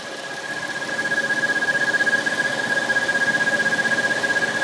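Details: 2013 Dodge Challenger SXT running: thin high steady whistle, slightly pulsing; dealer found loose water pump seal, noise gone after pump replacement.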